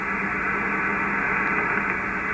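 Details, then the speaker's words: HF receiver around 474 kHz medium wave after grounding the ungrounded fiber internet terminal: smooth, even hiss with no buzz, whine or pulsing; interference essentially eliminated, clean noise floor. "I think I can still see just a slight hint of the interference but it is so low that I can't hear it so we've really improved the band here in the low frequency ranges at the bottom end of medium wave"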